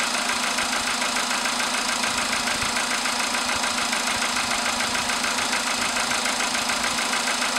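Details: VW Polo sedan with CFN engine, cold start in the morning after a night at about 10°C outside: a steady, even ticking knock about three and a half times a second over the idle; engine knock of unknown origin.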